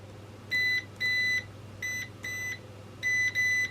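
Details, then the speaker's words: Rotel RVC-230 CB radio with low transmit audio, multimeter on continuity across the RV5 switch: three pairs of short clean high beeps as probes touch, switch contacts closing properly; fault lies elsewhere, suspect the potentiometer; normal switch. "probing down there, we can tell that switch is definitely switched."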